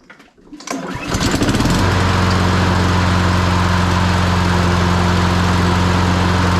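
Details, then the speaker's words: Honda HRN216 mower with GCV170 engine, very little pull-cord resistance: starts and settles into a steady, slightly lumpy putter, vibrates a lot and is down on power; low compression confirmed despite valves re-clearanced. "runs and it doesn't seem too bad but it vibrates a lot and it's down on power"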